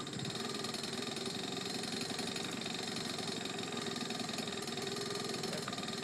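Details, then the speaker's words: Honda Urban Express NU50 small two-stroke after the fuel-air screw was turned from 2¼ to 1½ turns out and the exhaust-to-cylinder connection was tightened. Steady, even idle with no hunting or misfire. Normal idle. "that sounds better so I adjusted the idle air screw the fuel-air screw it was that two and a quarter turns out I put it to one and a half"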